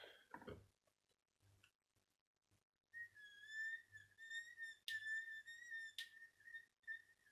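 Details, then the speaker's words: Miele S5211 vacuum cleaner motor in a side-by-side comparison: loud, steady, high-pitched whine holding one pitch while running, versus the rebuilt motor, which runs nearly silent; cause of the whine not established. "those making horrendous noise this is mine no noise at all"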